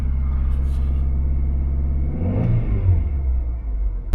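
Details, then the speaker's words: Car after a leaking coolant pipe was replaced: a rough, lumpy low rumble picking up into a rev, with smoke from burning fuel. The engine is flooded with fuel from cold-start enrichment. "so yeah as suspected that's all it is uh just the engine is flooded with fuel"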